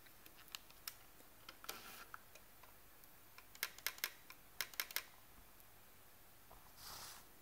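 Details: Canon PowerShot SX50 compact camera switched off and shaken: sharp irregular light clicks; service confirmed this rattle is normal when off, made by the linear-motor lens; noise absent when camera is on.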